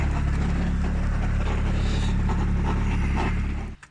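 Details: 2021 Lada Granta Drive Active at about 20,000 km, 10,000 km after modifications: heavy, deep, steady knocking about four times a second over the idle, worsening after a light idle vibration; the flywheel bolts had come loose.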